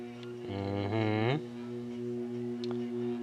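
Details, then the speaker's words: Vintage General Electric 3-speed reversible box fan, long unused: low motor hum whose pitch slides up slowly and struggles before settling; sluggish start because the bearings are dry and need oil. "on high that it's gonna need some oil turn the thermostat down yeah you see that spun down real quick turn it back on and I could barely get itself going"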